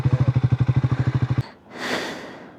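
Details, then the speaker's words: Motorcycle on a ride, possibly the 400 (Scram 400), after stopping hot: starter cranks at about nine even pulses a second but never catches; no-start, riders suspect overheating. "ഇപ്പൊ start ആകുന്നില്ല. Of ആക്കണ്ടായിരുന്നില്ലേ? ആ എനിക്ക് തോന്നുന്നു heat ആയതാണ്."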